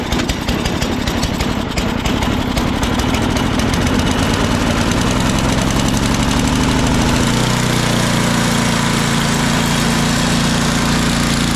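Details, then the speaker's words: Ariens snowblower, cold start after sitting overnight, following a carb clean: engine catches, stumbles briefly, then settles into a steady even drone with no knocks or misses. Runs perfectly and the drive and auger work smoothly. "yeah I did a carb clean on that this thing runs perfectly and all all the drives work nice and smooth here very smooth"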